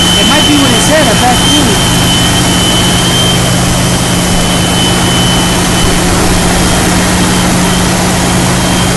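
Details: 2001 Jeep Cherokee at idle: thin steady high tea-kettle whistle over loud even idle, owner believes from right side of engine; cleaning idle air control valve did not fix it, source unknown.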